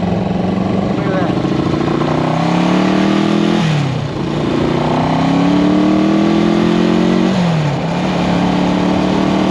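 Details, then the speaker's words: 1974 Honda CB360 twin, test ride after fixing the faulty number two carburetor: pulls cleanly through each gear with no stumble, then settles to a steady, even idle at the stop. Running healthy. "well you just saw it she goes down the street pretty well now that I figured out that the number two carburetor was the culprit"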